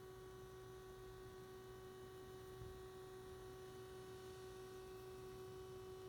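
A quiet, steady low hum with a faint higher tone holds constant and never changes; the scanner is humming while idle at its menu.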